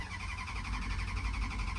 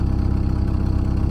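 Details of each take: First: Dodge Durango at auction, about 149,000 miles, older small battery, possible water in the coolant: low, uneven, lumpy idle that falters and dies when throttle is touched; rough running, stalls on throttle. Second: Auction Dodge Durango, 149,000 miles, small older battery, water in the coolant system: smooth even low idle with a steady beat, no knocks, ticks or misses; normal idle.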